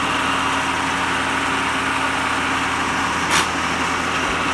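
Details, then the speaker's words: Power table feed on a 2-ton Schaublin 53 milling machine, fed by a DIY rotary 3-phase converter, running normally with a steady, even motor hum, no knocks or grinding; the knee feed won't engage while the spindle runs, and rapid traverse isn't working yet. "and come shut it off it doesn't like the the knee uh to engage while the spindle's running but you can see we have power to the knee"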